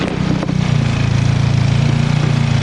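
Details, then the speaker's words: Turbocharged car with P0507 high-idle code: steady raised idle hum; spraying brake parts cleaner on a white vacuum T fitting produced a noticeable idle change, suspected vacuum leak there. "That right there, I think, is a significant change in idle, my friend. I think that's our problem."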